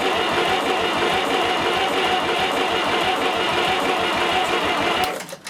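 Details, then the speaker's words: 70-year-old International 275 diesel tractor after injector work, near full throttle with heater coil; even starter churn of about three compressions a second that never catches, compression judged fine, air in the fuel system preventing start. "well when it was winding over it was an even wind if you know what I mean there wasn't a or anything like that so I think our um What compression we've got on this engine is all right"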